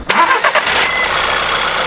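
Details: Engine start right after replacing a stretched timing chain that had been making noise. Brief crank, catches at once and settles into a steady, quiet idle with no rattle. Clean, healthy start after the repair.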